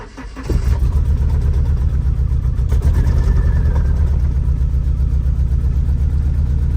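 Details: Nissan 240SX with a newly rewired chassis harness catches and settles into a lumpy, uneven shake with a missing beat; it runs on three cylinders and the cylinder-one plug looks never fired.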